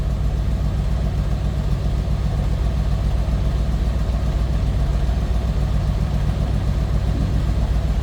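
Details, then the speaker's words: 1968 Chevrolet Corvette convertible small-block Chevy V8 heard from the rear, with a not-over-the-top exhaust: a deep, steady, throaty idle with even firing and no misses or knocks. A healthy small-block running smoothly. "It's a good sounding small block Chev. Just a nice little deep throaty exhaust note."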